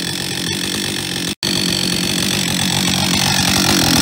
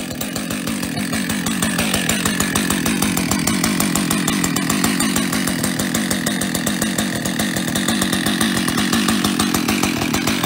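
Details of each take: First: Husqvarna 562 XP chainsaw running with a harsh, loose metallic rattle over the engine buzz; owner suspects a worn piston (piston slap), later confirmed by wear marks and measurement. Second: Husqvarna 562XP chainsaw after a new piston was fitted to cure piston-slap rattle. Steady idle and quick revs with the rattle nearly gone; the slight remaining noise may be the centrifugal clutch. Compression was full before the repair.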